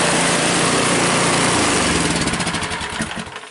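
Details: Cub Cadet 5 24 snowblower after weak-drive repair, drive much stronger: even, steady single-cylinder running with a light rattle on top from loose rubber pellets, then a smooth wind-down at shutoff; healthy.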